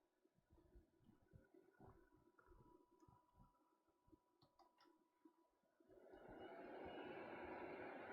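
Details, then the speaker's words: MingDa MD-16 3D printer: quiet clicking, then power supply fan whoosh swells and keeps rising; fan suspected to cycle with fluctuating bed heating; noisy power supply fan. "that power supply is quite noisy whatever is controlling the bed heat is also not ideal that's it's fluctuating all over the place and i think the power supply fan is going along with the bed heating which you can which is why you can hear it turning on and off all the time"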